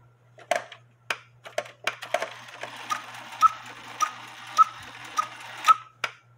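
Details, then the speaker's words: George cuckoo clock after the big washer weight was removed and the new bellows weight cut in half: sharp ticks about once a second with clear piping cuckoo notes, calling properly. "now this clock only Cuckoos on the hour so the good news is is cuckooing like it should"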